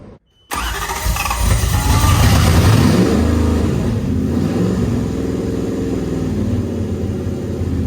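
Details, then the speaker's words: Nissan S14 with Toyota 1UZ V8 swap, first start attempt after a try where crank reading was in doubt: strong, even cranking at about four beats a second for several seconds with throttle adjusted, never catching; cranks but will not start. "all right take two all right here we go at least it cranks over well let me mess with the throttle real quick okay try it"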